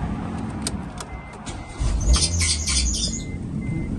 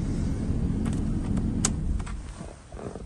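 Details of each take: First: 2007 Proton Satria Neo showing 88,960 on the clock, engine and traction control lights on: quiet until the engine catches, then a few sharp high chirps ride over the rough start-up rumble; squeak on cold start, source unknown. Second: 2007 Proton Satria Neo 1.6 petrol, 88,960 miles, at idle after a start with a squeak, engine and traction control lights on: smooth, even idle with no misses or knocks, some handling clicks and rattles; engine sounds healthy.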